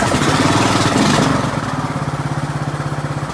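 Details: 2003 Craftsman LT2000 hydrostatic mower, 18.5 hp Briggs & Stratton Intek, after a fresh oil change: single cylinder catches and settles into an even putter about four beats a second, no misses.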